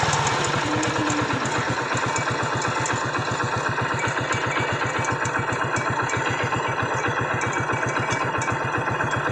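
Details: Hero Splendor Pro motorcycle at idle: steady idle about four beats a second with a light metallic tick each beat from the magneto side, caused by a broken magneto-side plate, found on teardown after being ridden despite the noise.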